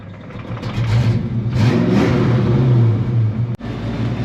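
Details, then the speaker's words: Project Frostbite, just after O2 sensors were fitted and H-pipe changed, with a known exhaust leak: idle swells and sags every second or so, settling briefly before surging again; idle hunting, cause unknown. "Yeah, still doing it. It'll settle down, and then it'll go back to hunting."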